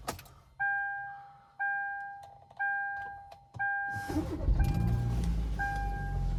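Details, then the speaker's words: Hyundai Verna 1.6 petrol with 34,000 running, well maintained with no leaks. After four dash chimes it fires promptly and settles into a smooth, steady idle; the engine sounds normal with no problems. "চাওক ইঞ্জিনৰ sound একদম normal sound, কোনো ধৰণৰ একো অসুবিধা নাই।"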